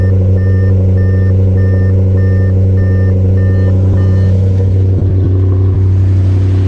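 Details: 2015 Audi RS5 V8 after replacing failed PCV valves with billet aluminum units: deep even idle with steady low rumble, no whistle under vacuum (old valves whistled loudly off-throttle); faint background beep; normal idle.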